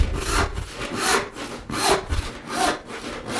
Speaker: it should run smooth without any kind of rattle or vibration